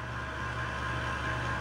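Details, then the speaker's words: Computer rear case fan, noisy off and on for a day or two and not cured by cleaning: steady whirring hum with a thin, constant buzzing tone on top. A tap quiets it briefly, so the fan will probably be replaced. "but that is noise. I don't want noise. I don't like noise, so I'm gonna have to probably order a new fan."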